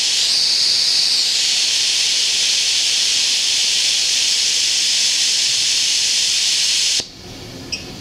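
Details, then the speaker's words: Homemade steam safety valve set to 120: loud, steady roaring hiss of escaping steam for about seven seconds, then abrupt cutoff as it reseats; lifting right at set pressure. "there she's gonna pop right at 120 come on baby let me hear that pop right now beautiful"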